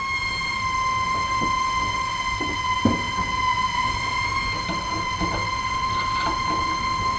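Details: House plumbing squeals whenever water runs: a steady high-pitched squeal near 1 kHz with faint clicks and knocks, blamed on the pressure reducing valve. Slight adjustment plus shutting the master valve off and on eased it.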